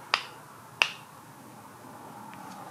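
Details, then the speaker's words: 2006 Chevy Impala 3.9 V6, removed old steering intermediate shaft (subject of a TSB for clunking when turning) rocked by hand: two sharp, dry metallic clicks from loose, worn splines with a lot of play. "I can feel some back and forth play on it too like whenever I'm going up and down side to side yeah I don't know if y'all can hear that but it does have a lot of play in it"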